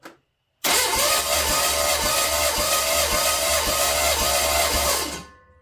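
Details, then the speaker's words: Chevy 350 small-block engine being cranked by the starter during a compression test, about 100–120 psi per cylinder: steady cranking at two to three beats a second with soft compression strokes; low compression, rings or valves suspected. "yeah I think this is not turning out to be good now I just got to figure out if it's the Rings that's keeping it from building compression or the valves"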